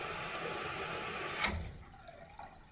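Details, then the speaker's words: Old toilet keeps running after a flush: constant hiss of water flowing into the tank that never stops. The float is not lifting up, so the fill valve doesn't shut off; owner suspects a set screw on the float. "So, we've got the old toilet here, and it just keeps on running after a flush. What is going on?"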